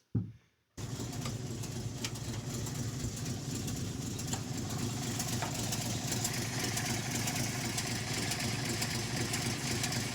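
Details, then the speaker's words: REO M-35 truck petrol engine idling cold with a blown head gasket: uneven idle skipping at least one cylinder after every three or four firings; warm it would not idle without blipping throttle. "You can already hear in just that little section there, you can hear it skipping at least one cylinder, but probably more than one. It's like because the three or four cylinders fire, do do do, and then there's a pause where there should be another cylinder firing, but they aren't firing."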